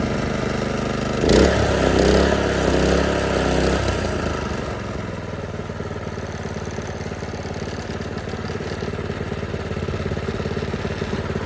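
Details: Predator 212 single-cylinder engine on a Toro 38585 snowblower, test run before removal, choke on start, throttle at middle. Pull-start catches on one pull, brief flare, then a steady, even putter; runs fine.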